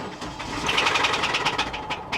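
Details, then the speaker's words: Jaguar XK salvage car at an auction yard, started from the driver's seat: engine catches and runs briefly with a light, quick tapping riding high over it; source can't be placed, joked to be rod bearings, unconfirmed. "She ran, but you know, just there's something wrong with it. I can't place what it is. It's got this light tapping."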